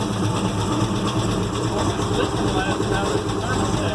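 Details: 1970 Chevelle SS 396 V8 freshly built, first run after dyno run-in, idling: light quick lifter-like ticking over the rumble, found to be a rocker arm that had worked loose.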